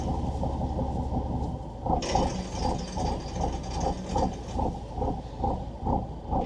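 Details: Volvo Penta TAMD 71B marine diesel, stood 10 years in a partially sunk abandoned boat, prop test in gear after bleeding the fuel: low thumping steady chug under propeller load, no knocks or misses; running normally.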